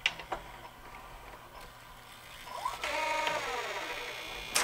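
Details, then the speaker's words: Sony SLV-N700 VHS VCR with cracked mechanism gears, tape loaded after a first check: light whirring and clicking from the transport with rising motor whine as tape pays out; tape spill from a broken mechanism gear. "oh look at that there's a bad spot in the tape right there oh spilling the tape"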